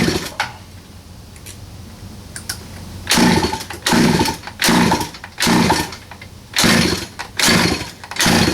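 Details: 47cc Chinese pocket bike two-stroke, choke open, some throttle, new 1/4-inch fuel line: catches in short revving bursts, each sagging and dying off, won't hold; clogged carburetor jet suspected, unconfirmed. Engine bogging after start.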